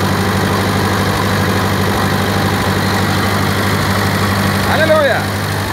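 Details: 1947 Ferguson TEA-20 petrol tractor, a barn find that stood unused for years; first start attempt after oil, water, petrol and a new battery. It settles into a slow, steady, even idle with a low rhythmic thrum, no knocking or misses, and oil pressure works.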